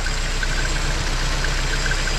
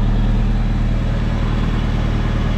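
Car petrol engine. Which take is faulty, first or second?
first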